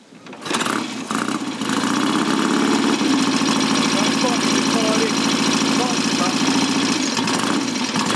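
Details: Customer's Triumph Tiger T100 kick-started without choke, ignition advance set midway, little fuel in tank, engine not stripped, standard gearbox. Catches first kick and settles into an even, steady thump at idle with no knocks: healthy.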